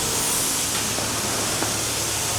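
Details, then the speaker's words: Harris propane-oxygen cutting torch with gas and oxygen turned up for cutting 30mm-plus material: a steady roaring hiss with a high whistle on top, the sound of a correctly tuned nozzle. "You can hear it. Listen to that noise. That's what you want when you're cutting at least 30mm material. Yeah? If you're using a Harris torch, they whistle at you."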